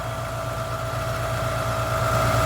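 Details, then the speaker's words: Ford Capri XR2 (turbo) after head gasket repair: smooth, even idle with steady whine, no misfire, now running on all 4 cylinders instead of 3 and no longer shaking; timing and distributor still to check. "Now that it's actually running on 4 cylinders, unlike before that it was just on 3, but yeah, you can just hear the difference. You can see it because it's not shaking."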